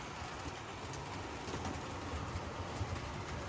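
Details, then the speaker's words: HO scale model locomotive, after running in: steady low gear whir and faint track clatter with no grinding or whine; gears bedded in and now quiet, where it was loud before. "All right, I guess the gears had to get um used a bit and now the locomotive is actually pretty quiet compared to how it was before."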